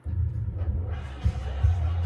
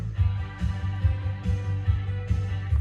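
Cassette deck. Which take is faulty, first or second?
first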